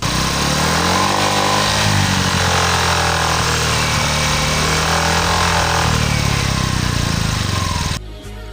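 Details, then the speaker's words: Honda Vario 125 scooter: loud rough buzzing rattle over idle, first thought to come from the engine's right side, actually outside the engine; rear fender vibrating because its bolt was not tight. "Tapi tenang cuy, pas gue denger-denger lagi suaranya tuh kayak di bagian luar mesin cuy. Nah bener aja dong, pas gue lihat ternyata yang bunyi tuh spakbor belakang cuy."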